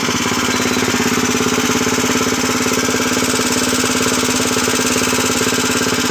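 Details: 7 HP power tiller engine after full rebuild, freshly oiled: steady, even thumping at a fast regular beat with no knocks or rattles over it; runs smoothly.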